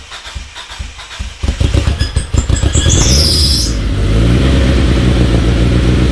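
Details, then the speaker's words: Talon on E85, cold start at about 52°F after sitting two months, started harder than usual: quick cranking, a few sharp revs, then steady even idle with no knocks or misses. "Started up a little harder than I expected, but E85 and 2 months of sitting. It's nice to hear it again, though."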